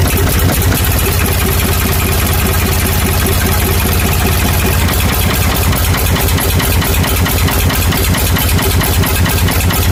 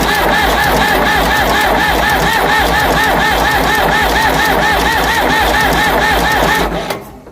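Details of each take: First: Ford 555 backhoe diesel after head reinstall, once the fuel filter, injector pump and injectors were bled step by step: steady, even chug at a low regular beat with no stumbling or misses; engine idling cleanly. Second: Ford 555 backhoe diesel, head just reinstalled and retorqued after winter, temporary fuel return line: steady cranking at about three and a half compression beats a second that never starts; possibly fuel starved from gelled fuel or a plugged filter.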